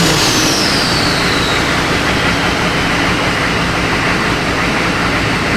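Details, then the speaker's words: Diesel truck with a cheap eBay turbo bolted directly to the factory exhaust, cold start after sitting; steady idle with a thin high whistle easing down in pitch, boost around 2 PSI at idle where it should be zero: turbo whine at idle. "you guys can hear that Turbo that's kind of cool right now sitting at I don't know like 2 PSI idle it should be at zero"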